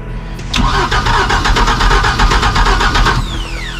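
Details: Mercruiser 4.3 in a 1996 Wellcraft boat, sat 18 years and freed from seizure, cranked with fuel poured in from a bowl: the starter churns about three seconds, nearly catches, then spins down without running.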